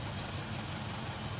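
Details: Isuzu 4HK1 truck (Reward), formerly no-start with DTC P0651 flash code 56, idling after ECM relay replacement (relay supplies injector power): low steady diesel idle, even unhurried beat, no knocks, misses or hunting.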